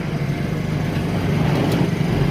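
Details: Honda EU2000 generator, newly set up with oil added, with roughly 1322 watts load: holds a steady, even low drone with no hunting, surging or knocking; running properly.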